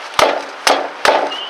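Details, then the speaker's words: Kicking the left rear tire gives a hollow, woody knock instead of a solid thud like the other three; with the wheel jacked up and shaken, play found; worn wheel bearing. "Now, you hear that sound? That sounds a little bit different. It almost sounds like someone's knocking on a piece of wood or a piece of metal."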